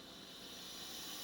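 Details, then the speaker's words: Diansu DS-982 pneumatic solder paste dispenser switched on: steady, even air hiss with no pulsing, normal venting of air inside the unit. "when you do turn it on you hear it hissing basically it's just venting air inside"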